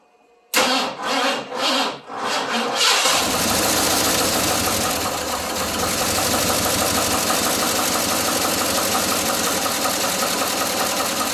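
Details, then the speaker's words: 1981 Ford F150 at its first start in 14 years, after sitting since 2007: a few cranking bursts, then a rough idle with a nasty ticking from the top end. Owner suspects the timing is off; an oil change is planned. Top end tick. "got a pretty nasty top end tick but we'll change the oil after this almost sounds like timing's not that great either"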